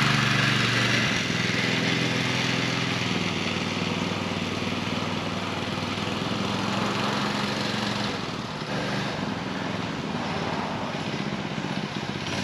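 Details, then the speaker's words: DIY trike with a scrap power-washer single-cylinder engine and a torque converter replacing the centrifugal clutch: pulls smoothly and steadily without jerking or chatter; takes off on its own, drive working properly. "it is way better with the torque converter than with the centrifugal clut it'll actually take off on its own"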